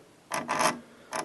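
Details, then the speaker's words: Grundig 3028 radio during mechanical overhaul, clutch mechanism driving the VHF tuning condensers; two short dry, gritty rasping scrapes per turn instead of smooth motion. Owner suspects stiff sliding plates on the shafts: binding tuning drive. "there's a binding going on there which doesn't sound very nice um and i'd say it's just that the sliding plates that are supposed to slide on the shafts are really really stiff and they should move relatively freely"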